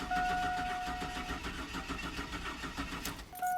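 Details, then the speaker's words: 2002 Chevy Silverado 4.3 litre that died while driving and now cranks but won't start: starter spins the engine at an even, steady cadence but it never catches; compression judged fine, so a mechanical problem is thought unlikely. "so as you can hear the engine cranks fine the cranking cadence sounds even so i don't think we have a mechanical problem with this engine"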